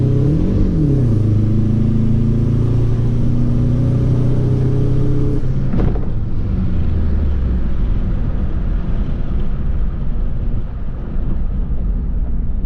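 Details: MazdaSpeed 3 pulling hard from 5 to 65 mph through a gear change, uneven stumbling pulse under load from a misfiring 4th cylinder.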